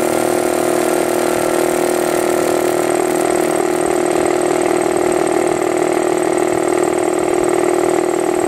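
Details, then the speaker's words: New Harbor Freight Central Pneumatic 29-gallon 150psi air compressor, first run: quiet, steady motor-and-pump drone with smooth pulse about four per second, no knocks or rattles; normal running while charging tank, barely audible. "can barely tell it's running. I mean, you can hear something, but just... Yeah, I could stand to be in here for a long period of time with that on."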